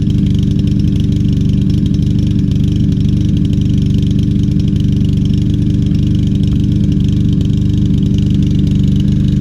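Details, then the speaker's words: Troy-Bilt TB200 mower, 150cc Briggs & Stratton engine, after carburetor and tank cleaning, fresh gas: drones with slightly irregular labouring pulse instead of crisp even beat; still missing, rough and struggling. "let's see if it smooths out doesn't sound too good so far"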